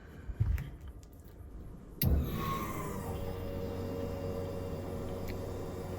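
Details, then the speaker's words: LS1-powered VL Calais after upgrading from a Walbro 255 to a Walbro 460 fuel pump, tank refilled: a click, then a steady low hum with a faint even whine; normal fuel pump operation. "Sounds like it's running."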